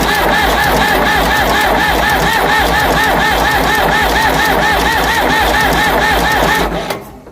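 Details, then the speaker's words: Ford 555 backhoe diesel, head just reinstalled and retorqued after winter, temporary fuel return line: steady cranking at about three and a half compression beats a second that never starts; possibly fuel starved from gelled fuel or a plugged filter. "Okay. So, it doesn't seem to want to start. I'm not really surprised."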